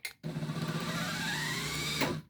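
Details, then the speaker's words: Truma SE R caravan mover bought as spares or repair (reportedly wouldn't power onto wheels, fault codes), bench test before repair: motor hum comes up unevenly then settles to a steady run, whine climbing slightly; slow start but works. "Right. Does it work? Oh yeah. Slow start, I notice."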